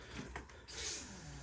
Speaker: that fuel pump is so much quieter